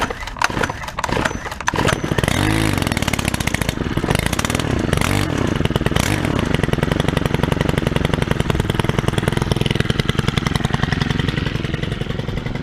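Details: 2021 Stihl HT103 31cc pole saw first start, using choke: a few pulls, then catches into a crisp, even high two-stroke buzz that holds steady; healthy.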